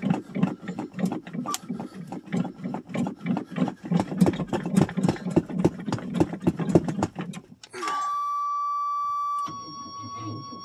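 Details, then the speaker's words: 1985 Chevrolet Suburban, cold start in snow after a month or more sitting: labored starter chugging three to four turns a second without catching, then steady warning buzzer; weak battery cranking slowly, later swapped. "buzzer my batter don't sound very good"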